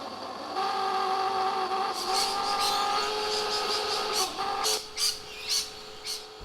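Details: Old worn-out Onga pool pump that has grown louder over weeks despite backwashing and cleaning: steady high whirring hum with several stacked tones; owner suspects the pump is simply worn out and replaces it.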